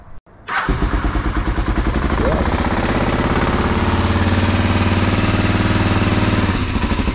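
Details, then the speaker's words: BMW F650 motorcycle after Gasket Magic head gasket sealer for a suspected blown head gasket, plugs cleaned after idling on choke possibly fouled them: steady cranking at about three compression beats a second, never fires; sealer suspected ineffective. "see [Music] okay let's see if we R guys that's a no and I don't think this stuff worked"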